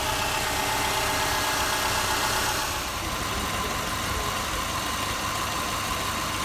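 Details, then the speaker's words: 2005 Subaru Forester boxer engine after redoing an incorrectly done timing belt job and reassembly: even, steady idle with smooth hum and no knocks or ticks; normal idle after repair. "There it is. Running all done just like new, only better."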